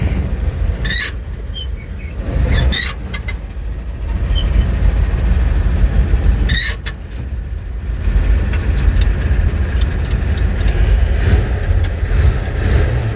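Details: Old petrol flatbed truck, first start, fed gas through the carburetor on a hot battery, runs with a deep, steady rumble and even beat, no knocks or misses; normal running.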